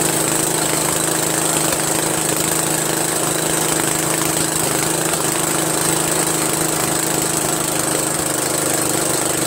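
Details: Briggs & Stratton 13hp flathead engine repowering an MTD Cub Cadet lawn tractor, first run after carburetor replacement; steady even run at constant speed, no misses, surging or knocks; runs properly, owner pretty impressed.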